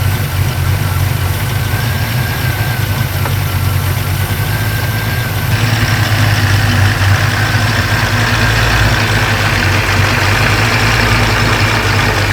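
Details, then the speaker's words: Supercharged 1940 Ford at rough idle: dry metallic rattle riding over the engine note, steady with idle speed; supercharger rotors likely starting to touch, owner hopes new needle bearings will fix it, not confirmed. "So yeah, obviously, as you can hear, that's less than ideal, but it doesn't sound completely catastrophic. It's likely that those rotors are just starting to touch."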